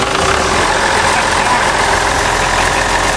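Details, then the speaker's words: John Deere 6600 combine, old diesel revived after years sitting (clutch parts, belts, grease), just cranked in neutral before driving to the bean field: loud, steady clatter at an even idle, no misses or knocks; normal healthy idle. "All right, let's get her on out of here. Onward to the field. That old diesel runs like a champ."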